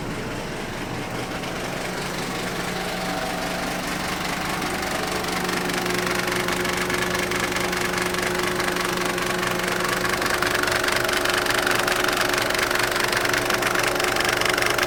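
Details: Mercedes OM602 diesel after idle knob on the injection pump was turned down from 1100 to 750 rpm: rough idle, regular knocking rattle about 3.5/s and odd noise near belt tensioner and water pump.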